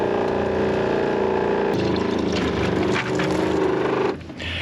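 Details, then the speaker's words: RV water pump pushing antifreeze while winterizing: a steady electric hum runs about four seconds while a tap is open, then cuts off cleanly when the valve closes; normal pressure-switch cycling. "when you hear that pump shut off that's she opens it the pump turns on she closes the valve it turns [Music] off"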